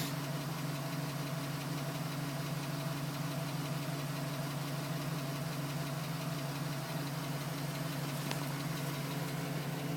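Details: 2010 GMC Sierra with 2000 miles, cold start idle: faint, even light tapping over the hum, still tapping at 4 minutes, gone at 5 minutes 42 seconds as temperature rises; owner suspects piston slap, unconfirmed.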